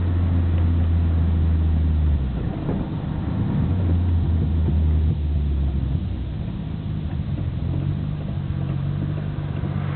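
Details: Nissan Skyline GT-R BNR34, stock Getrag manual gearbox with Nismo clutch, recorded windows open: low, clattery gear rattle at idle and moving off. It is abnormally loud, also in 1st and 6th while driving. No shifting problems; unchanged after oil change; overhaul considered.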